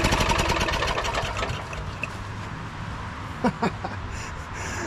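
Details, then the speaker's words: Late-1990s Honda Harmony 1011 ride-on mower, after fixing spark with the original key switch, running on old fuel: rapid rough chugging that fades into uneven running with a few knocks; the engine starts. "there we go she fires"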